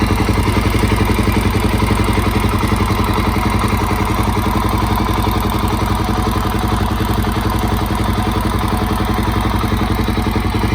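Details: Suzuki DRZ400SM after top-end rebuild, warm idle: steady single-cylinder thump with light regular tick about four times a second from the auto decompressor, normal; valves in spec, timing marks correct, cam chain tensioner properly set.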